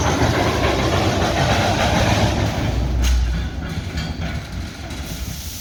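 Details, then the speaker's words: Live steam locomotive J&LNG 58 climbing a hill at full throttle, 175 psi boiler pressure: heavy chuffing about three beats a second, unevenly spaced; uneven exhaust beat persists, suspected slight valve timing rather than packing. "she sounds pretty good but you could still hear that offbeat exhaust they're still in there a little bit i don't think it really is off of the uh the packing as much as it might be a little bit still a little bit of valve timing something in there"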